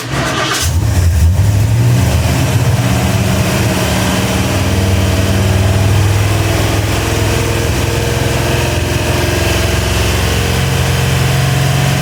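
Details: Ford 351W rebuilt, 10:1, Edelbrock heads, mild Howards cam, Autolite 4300 carb, ported intake, first start break-in at raised idle: deep steady rumble, even firing, no knocks or misses; healthy.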